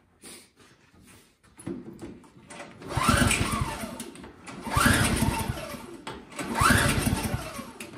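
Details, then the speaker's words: Craftsman single-stage four-cycle snowblower, primed with the choke on, gives three pull-start cranking bursts that rise and die without catching; the owner suspects stale, stinky gas from sitting. "we could check for spark but because the gas is stinky i'm guessing it's it's sat around"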